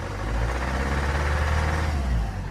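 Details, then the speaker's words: 2011 BMW 320d E90 (N47 diesel, 184 hp, 165,000 km) at about +1 °C, started after three days standing. Revving above 1500 rpm after a short warm-up gives a deep, uneven chug with knocking, like misfiring, under the hood. Cold-running knock, cause unknown. "Сейчас набираю обороты, вот, допустим, начинаю набирать больше 1500. И слышно под капотом вот такой типа троение."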